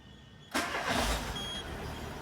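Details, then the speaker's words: Peugeot 206 started with the accessory belt removed from the tensioner and auxiliary pulley: smooth, quiet idle with no squeal, so the belt noise comes from one of those pulleys. "ó. Sem barulho nenhum. Então é alguma polia lá mesmo."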